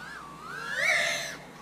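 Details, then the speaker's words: Avant Vanta Nano 2.0 toothpick quad on Betaflight 4.1, PD gain raised to 2.0 with PD balance 0.7: motor whine sweeps up and down with fluttering warble as throttle changes; oscillation from excessive PD gain, tuned too far. "all right so this is gonna be PD gained at two you balance at 0.7 oh now you can hear the oscillation right here that"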